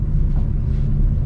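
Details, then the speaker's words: 1961 Ford Falcon after setting points, timing and plug gap, adjusting valves and rebuilding the leaking carburetor; previously barely idled, spitting and sputtering. Now steady, smooth idle with no misses or stumbles. "it don't it idles really smooth I was kind of wondering if the valves you know valves were were all ate up and stuff but it it purrs like a kitten now very smooth"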